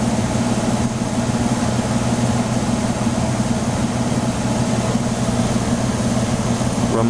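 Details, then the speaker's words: Emerson Quiet Kool 6300 BTU air conditioner on cool at low fan: a low, uneven rumble from the worn fan motor bearing under steady fan and compressor hum, quiet at first and getting louder after a while; a new motor or bearing is wanted. "fan motor is pretty quiet at first but it gets louder after a while with that compressor sounds great probably hear that rumbling coming from the fan motor bearing hi"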